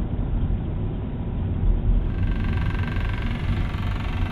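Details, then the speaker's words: BMW E90 M3, brand new, after air filter change: loud coarse droning rumble and vibration over the running engine, rising when revved; source unidentified. "Can you hear that vibration? What's that coming from?"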